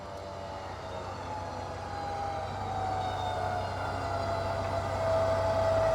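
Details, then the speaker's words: Off-road recovery winch pulling through a 2-to-1 multi-point rigging. The whine climbs gently and evenly without the hard, high-pitched strain, normal operation under light load. "Right now we're not hearing it, and the reason we're not is because we've set up a 2-to-1 system. We're making it a lot more efficient, and you'll notice the difference between the 2-to-1 and the 3-to-1 when we get there."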